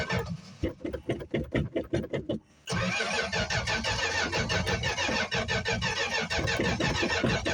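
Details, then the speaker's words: 1965 Plymouth Barracuda six-cylinder, cold start after sitting about a month, recently worked on: slow uneven cranking about two seconds, catches on starting fluid and runs ragged; hard start from fuel starvation. "Because it ran out of gas. I ran out of gas. It was running. We're having some fuel issues."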